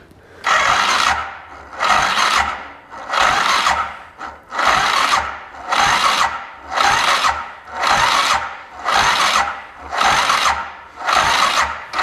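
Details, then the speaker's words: DS 650 ATV after previous owner's top end rebuild, now no start; weak battery on jump pack, throttle wide open: labored slow cranking, about one burst per second, never catching; cause not confirmed. "throttle wide open key on and start button oo it's not wanting to turn that's for sure and I got it I got it cranking"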